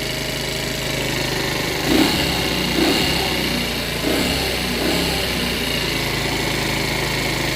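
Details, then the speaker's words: $100 50cc Chinese two-stroke scooter, not run for a while, warming up on a lift: fast, busy idle with a few brief blips. The idle is too high; fast warm-up is suspected, and the idle is being turned down. "still idling a bit High I'm waiting to see if that's warm up or not I think it's fast warm up so I'm going to take a little out"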